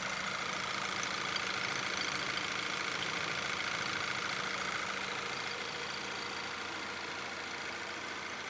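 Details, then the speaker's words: Car with normal, steady RPM and no misfires: fast even clatter about three ticks a second over a steady idle; loud top-end rattle, suspected possibly low or no oil, unconfirmed. "wow that is that is a heck of a noise on the top end that engine I'm surprised as running and and not misfiring at all"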